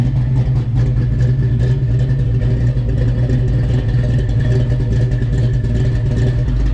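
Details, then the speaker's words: Fox Body Mustang convertible with swapped-in 306 V8, timing now at 10 degrees and fuel pressure 40 psi after replacing TFI module and TPS sensor that caused timing trouble and near-stalling idle: steady, deep, smooth idle, no misses or knocks. "it's actually running pretty good so i'm gonna start it up and let you listen to the idle now so let's listen to"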